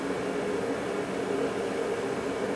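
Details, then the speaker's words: Onan B43 twin after re-ringing, honing and a piston decarbon, idling on a long run-in to check for the earlier smoking and oil from the breather: a steady, even mid-pitched hum with no knocks; normal running. "So that's pretty decent. I guess I should put the tins back on it and everything and just let it run."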